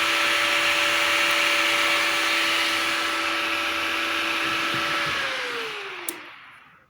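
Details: Inverter welder that would not switch on, faulty power switch bypassed for testing: steady high whine with fan rush, then powers down with tone sliding away smoothly; unit switching on and running fine.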